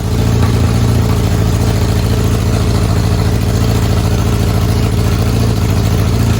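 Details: Honda engine swapped into a Smart car, running from a temporary fuel tank under the car with little fuel: strong, low, even idle rumble with regular firing, no ticks or knocks; normal idle.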